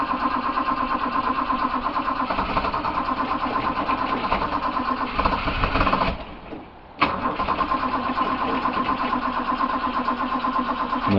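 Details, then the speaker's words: Restored 1968 Australian-built Toyota Crown MS55 with automatic choke; starter cranks steadily with a pause but engine won't fire after stalling, fuel gauge on empty, indicating it ran out of fuel. "that's a pretty good indication that's it's out of fuel which which is fine"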